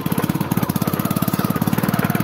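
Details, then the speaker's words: Motorcycle with loud, sharp popping pulses about fifteen a second, deep chuffing like a Royal Enfield Bullet, louder when revved; the silencer underneath is cracked at the weld, leaking exhaust. "इथं खाली सायलेन्सरला silencer थोडं फुटलंय म्हणजे silencer ते वेड सोडलंय म्हणून त्या फडफड फडफड आवाज कळालेत"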